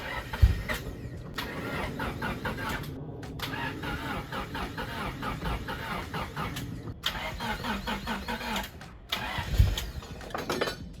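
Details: Honda Civic EG hatch, sat unused for a long time, with fresh fuel added: long, labouring crank attempts broken by short pauses, engine never catching; weak cranking from a drained battery.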